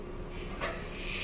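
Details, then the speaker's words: Hino FM 260 JD used truck, air pressure built up, brake pedal pressed: a steady air hiss rises and keeps bleeding off, a leaking air brake relay valve that must be replaced. "Nah, itu ada kebocoran, injak rem ya, tuh ada kebocoran relay valve-nya, berarti harus diganti."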